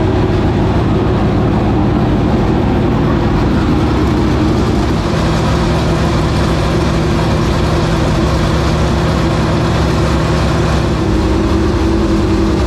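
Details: 465 cubic-inch V8 race engine, first start after three years and after getting better fuel pressure: a deep, even, loud roar holding steady with no misfire, knock or surge; normal running.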